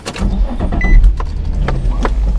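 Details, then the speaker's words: 2003 Infiniti G35 Sport 6MT with the stock VQ V6, nearly 200k miles, stock exhaust: the starter catches quickly and it settles into an even, steady idle with no knocks or misses. Normal start and idle; the motor sounds healthy. "motor sounds healthy. It's so nice to hear a stock VQDE without an obnoxious exhaust."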